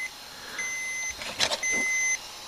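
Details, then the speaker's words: Toshiba 305CDS laptop: two long, high, even beeps about half a second each and a second apart over a quiet room; low-battery warning as the battery reading drops and it must be shut down. "it's 718 and now the battery's xed out so we got to shut it down if I can do it"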